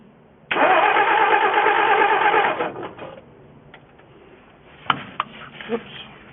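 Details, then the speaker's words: 1963 Ford F350 engine, first start attempt in 20 years, running from auxiliary nurse tank: about two seconds of even cranking, roughly three turns a second, no catch; fuel starvation from air bubble in fuel line and jammed carburetor vent. "Alright, I got it figured out. I had had an air bubble in my fuel line, and I had to take this off the top of the carburetor because it was jamming up."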